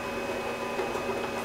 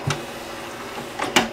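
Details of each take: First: Original Xbox DVD-ROM drive stuck closed (eject click of death): the tray motor whirs with a faint whine, but the slack drive belt slips on its pulley and can't move the tray. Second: Original Xbox DVD-ROM drive after drive belt replacement fixing the eject click of death: sharp click, brief mechanical travel, double clunk as the tray ejects cleanly.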